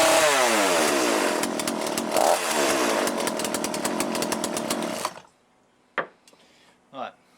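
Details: Cheap chainsaw with a Walbro carb, after a carb rebuild kit service; high-speed screw now set well out, running before warm-up: a small two-stroke revs up cleanly and holds a steady, crisp buzz before shutting off, sounding correctly tuned and healthy.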